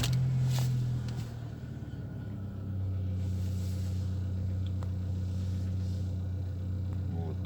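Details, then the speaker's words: Engine with past error P0507 (high idle), after cleaning hoses and backing off throttle bolt, check light goes out at start: catches and settles into steady, even low hum around 800 rpm, no knocks or hunting; normal idle. "рабочие обороты, ну пускай 800."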